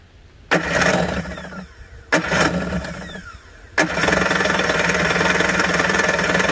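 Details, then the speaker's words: 1991 Kawasaki 550SX jet ski, first start after six years stored with fogging spray and stabilizer; choke being turned off, run briefly without cooling water; two brief catches, then fires and settles into a steady even buzzing run, healthy. "choke off almost there i don't want to run it any longer without any water in it"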